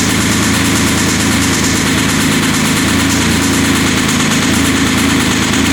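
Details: 2007 Porsche Cayman S, flat-six with bore scoring, 6-speed manual, before engine removal for rebuild. Steady idle with a dull, persistent low knock under the engine hum.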